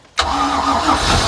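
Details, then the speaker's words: Free project boat, first start after the cylinders were freed with oil: engine catches at once and settles into a steady, even run with a smooth low drone; it smokes from the oil, and the alternator belt flops. "Yes. Look at that. I mean, there's definitely a lot of oil burnage, but it's running."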